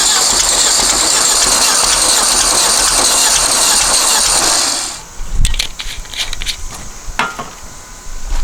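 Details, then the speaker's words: Long-stored dune buggy/sand rail on the truck battery, fuel solenoid and choke powered: a loud, ragged buzzing run with uneven firing and a tapping beat, then it cuts out; idle and timing still unadjusted. "wow that was pretty amazing all right well figure out where the idle adjustment screw is try to idle this up a little more"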